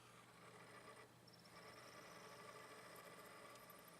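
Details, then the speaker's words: Sony DVP-NS45P DVD player tested after rearranging the weight stacked on top; suspected plastic part misalignment. A faint steady whir and light hum with no scraping or wobble as the disc spins up normally. "Sounds like it's spinning. Alright."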